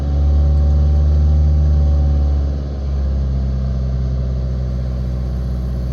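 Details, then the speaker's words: Nissan Qashqai diesel after fuel filter change and priming: steady, even drone held around 2000 rpm, dipping briefly then settling smooth; no misses or knocks, runs healthy. "let's see if it starts and say it's running so I'm going to just bring it up to just about 2,000 revs let it sit there for a minute"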